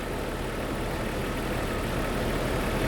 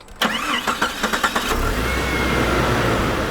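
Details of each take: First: Jeep with a misfire for about a month, worse at startup, checked at idle with an ignition scope; rough, uneven idle with an irregular stumble about four times a second. Ignition misfire. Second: Jeep with a month-long misfire on startup, after spark plugs were gapped to 0.035 in: about a second of even cranking, then it catches at once and settles into a smooth idle; a normal start.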